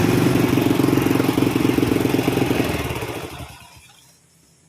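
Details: Honda Astrea Prima carburetted motorcycle, spark plug fouls black and dies quickly, high fuel use; revved, rough uneven stumbling note, rich running misfire with heavy combustion chamber deposits, carburetor suspected.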